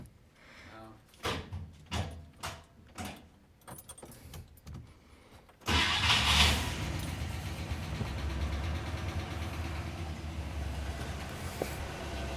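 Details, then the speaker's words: 1964 AMC Rambler Classic after an oil and filter change and coolant work: a few cranking knocks, then it catches and settles into a smooth, even idle, a little high, no miss or knock and no leaks; normal. "she seems to be running fine let her idle a little bit make sure it doesn't leak or anything ID yeah yeah idle is a little bit high but we need to turn it back down we will"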